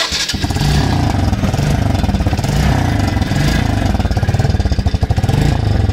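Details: Motorcycle at idle: lumpy deep exhaust thump pulsing steadily with a rough blatting edge. The silencer pipe is shown heavily rusted with paint gone; a leaking or rusted-through silencer pipe is suspected, not confirmed.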